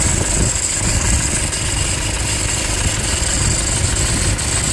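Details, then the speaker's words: Toyota Hilux 2.5 diesel at idle: rough scraping rattle from the front accessory belt drive, with a bearing-like noise underneath; faulty alternator overrunning pulley. "Tudo indica que temos aqui um barulho de alternador pío de alternador esse barulho mais acentuado aí tem um no fundo mais de rolamento"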